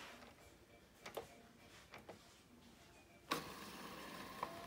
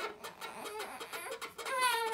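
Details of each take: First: 4Moms MamaRoo bassinet after repair with super-glued spacer nuts holding the shield off the lower mechanism: a few light clicks, then the motor runs with a steady, quiet whir and no squeak. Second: 4moms MamaRoo bassinet running, mattress and top cover removed: irregular chirping plastic squeaks from the loose plastic cover rubbing on the bushing tabs; tightening its four screws did not help, so the shield was removed.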